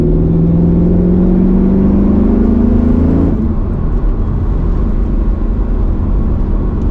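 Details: Mercedes C55 AMG, nearly warmed up (issue appears once warm), after a crankshaft position sensor replacement: the engine note climbs slowly for about three seconds, then drops to an unsettled rumble; revs still hang, not fixed, cause unknown.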